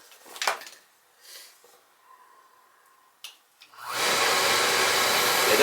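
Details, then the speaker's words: Recently installed oil boiler with overhead oil line, burner motor running pump only with solenoid not engaged to bleed the line: faint clicks then steady even whooshing whir; normal burner motor run. "we're going to just run just running just the pump. So, it's not solenoid's not engaged. We're just going to bleed it good here cuz it's an overhead."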